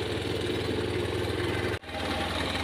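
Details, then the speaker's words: Honda Scoopy with no ignition and dead electrics, restarted after fixing a weak connection; the faulty starter switch is still to be replaced. It settles into a smooth, steady idle with no misses or rattles. "jadi motor sudah hidup kembali"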